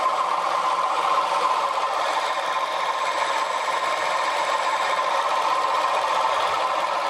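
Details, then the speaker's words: Short-stroke water pump driving a sprinkler after cleaning and regreasing bearings, motor drawing 5 amps, pulley slightly misaligned: steady, even run with soft valve patter about three a second; no grinding or bearing rumble, runs quietly. "Now let's test it now. See how quiet it is. Got a sprinkler on there and a turbocharge. You hear the valves being pushed by the water."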